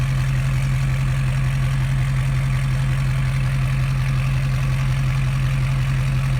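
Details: 2012 Ford F550 6.7L Powerstroke diesel idling with exhaust open just past the headers, no further pipe or resonator, mic 16 inches from the pipe end: deep loud steady low drone with even rapid pulses about 170 a minute.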